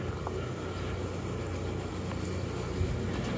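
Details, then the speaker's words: Valley Pioneer GF480 trommel dirt screener run slowly after the weld beads that clunked against the wheel were ground down: slow even low rumble with no knocks or clunks; now quiet and smooth. "They were clunking against the wheel in there. So now we have a very nice quiet dirt screener."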